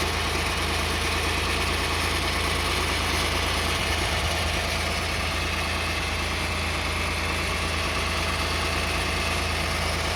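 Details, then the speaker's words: Car idling with slight throttle right after a transmission fluid change (about 3.4–3.7 L) and additive: constant even buzz over the engine; buzzing persists, possibly from the transmission, not confirmed. "You hear that buzzing sound still there."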